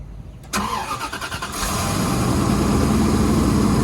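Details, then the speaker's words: Previously non-running Bentley starting after repairs: a brief crank, then it catches cleanly and settles into a steady, even idle with no misses or knocks. Normal start and idle. "that's more like it so you're gonna leave it running ah that is so beautiful to hear that running"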